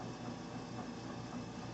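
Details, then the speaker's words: Walnut Medical home fill oxygen system with the filling light on green: an even hum with light regular clicking as the home fill unit draws oxygen from the bottom concentrator into the attached B or D cylinder. This is normal filling. "you can hear there's a clicking going on because that is the uncle system now working taking the option from the bottom unit coming into the home field and putting it into the cylinder connected to the"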